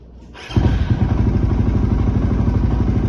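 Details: Suzuki FU 150 injection single bored to 200cc, freshly fitted with a used Tune Boss ECU, battery voltage reading 14.8: the starter catches and it settles straight into a steady, even idle with a smooth regular beat and no stray knocks.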